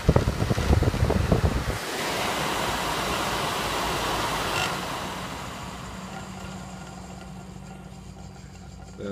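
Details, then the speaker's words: Worn, loose closed-frame pellet stove exhaust blower on a spin test: harsh uneven rattle at start-up, then a rushing whoosh and low hum; the customer couldn't stand the noise, and it vibrates louder in the stove. "you'll see that the customer really couldn't stand the noise that that blower was making"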